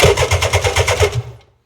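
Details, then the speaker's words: Run-down Sea-Doo personal watercraft being parted out, VTS not working: slow, labored starter cranking with heavy uneven chugs about five per second dying away, button held very hard; starter struggling, cause unclear. "You should hear the starter. Holy cow. Like, I don't know how these machines get so run down."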